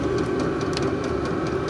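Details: VEVOR 8kW all-in-one diesel heater, about 350° directly at the unit's outlet. Steady mid-pitched fan hum with a soft, even combustion roar and no surging or ticking. Heater running normally.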